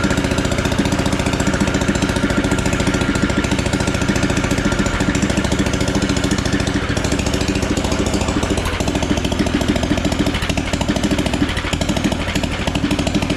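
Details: Engine swapped into a John Deere AMT600, no muffler fitted, started after draining the carb bowl the day after it flooded: loud choppy uneven popping and thumping at idle; running rough, exhaust "not happy", cause unconfirmed.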